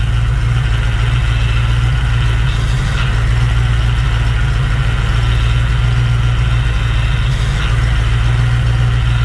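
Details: Fox Body Mustang after replacing a torn O-ring that caused puking: deep, even low rumble at warm idle with no squeal, chirp or miss; belt routing is good, but the oversized pulleys make the alternator charge poorly.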